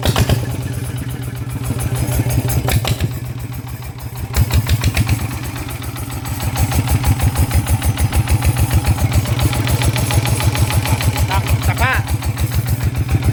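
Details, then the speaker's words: Kubota single-cylinder diesel that shook, reassembled after work with the camshaft removed and valve clearance set: even chugging that revs up cleanly, steady thump without heavy shaking or knocking; vibration on revving clearly less than before. "จากความรู้สึกนะครับตอนที่เร่งทีแรกนะครับกับตอนนี้นะครับมันมันจะสั่นน้อยกว่าแบบเห็นได้ชัดเลยนะครับ"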